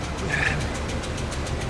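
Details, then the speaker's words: 2005 Dodge Ram 2500 V8 with a P0301 cylinder 1 misfire, idling during a spark check. A light, quick tick (about seven taps a second) rides over the rumble; it sounds like an exhaust-leak tick, a possible issue. "not sure if you'll hear this through the camera but this engine has a very disturbing tick to it uh that I really don't like it sounds like a um almost like an exhaust leak kind of a tick"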